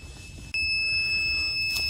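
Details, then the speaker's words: Battery pack powering a septic pump after the float triggered it and the pump sounded bound up: piercing, steady high-pitched alarm; wattage rose, owner suspects an overload tripped a breaker or blew a fuse. "I got a sound coming from my battery pack now like a screeching um like I may have either uh burned out a fuse or flipped the breaker but let me go check that and get right back you"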